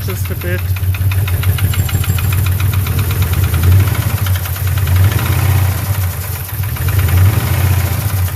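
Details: Hemi V8 with new cam and lifters, revved slightly: rapid sharp ticking over an uneven, rough-running rumble; cylinder 6 misfire persisted after VVT solenoid replacement, caused by an unseated valve pushrod.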